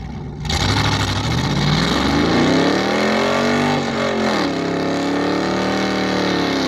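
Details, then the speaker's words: Car using a nitrous kit at a burnout competition, under hard load. Revs climb, then sag and waver with an uneven, labouring note; the engine is laying over hard and sounds terrible. "It was laying over hard. Yeah, that sounds terrible."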